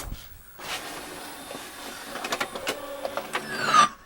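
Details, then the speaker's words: Pioneer LaserActive disc tray after cleaning and greasing the rails, lens and tray: a quick, smooth whirring slide of about three seconds ending in a soft clunk; the tray now runs freely and much faster. "That thing seems like it's uh it's sliding in there much much faster. At least the tray itself seemed like it was uh really quick there."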